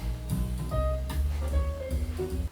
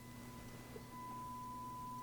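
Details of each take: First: Marantz 2245 receiver bought for parts or repair, heard after repair. Music plays clean and full with no hum, crackle or distortion; normal audio playback. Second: Marantz 2245 receiver on FM: a steady tone jumps louder as the balance knob is moved, showing a dirty balance pot dropping the channel rather than the volume pot; the volume and balance pots need cleaning.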